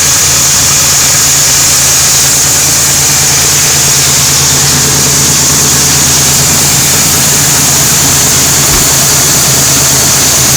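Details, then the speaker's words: 1997 Ford F150 after cleaning the idle air control valve: steady constant hum, even rhythm, no surging or stumbling; idling better already. "sounds like she's idling better already"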